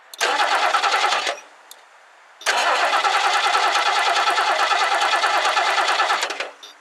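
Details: 1969 Lincoln Mark III barn find with carburettor just refitted: the starter turns the engine in two steady cranking bursts, about three beats a second, but it never fires. Owner suspects little fuel reached the carb because most of the poured fuel spilled.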